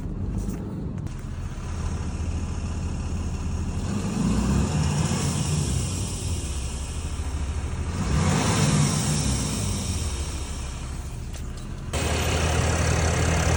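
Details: 2022 Ram 3500 diesel at idle: a steady airy hiss that grows louder with each rev, source unknown.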